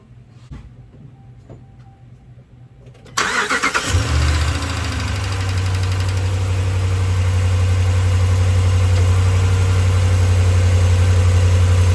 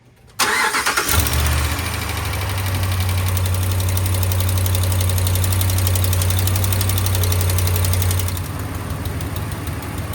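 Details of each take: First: 2016 Ram 1500 5.7 Hemi after exhaust manifold gasket replacement and stripped head thread repair (Dorman aftermarket manifold leveled on a sander): starts and settles to smooth even idle, no more ticking or hissing from the exhaust; fixed. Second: 2016 Ram 1500 5.7 Hemi, cold start after sitting overnight: catches and settles into fast idle with sharp rapid ticking, exhaust visibly spitting at the suspected passenger-side manifold; quiets when warm, possibly aftermarket manifold; manifold gasket leak.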